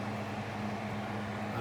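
A steady, even hum with a constant low tone and no rattle or scrape; the fan motor runs normally on high.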